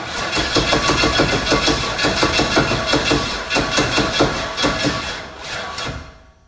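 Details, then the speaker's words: Big block Chevy jet boat engine, first start attempt with starting fluid, plug wires resting on headers: starter churns in even, slow, laboured pulses about three a second without catching; weak battery/old jump box suspected, not confirmed. "Come on, baby. We'll let it charge for a second. Alright, so we're going to try a different jump box."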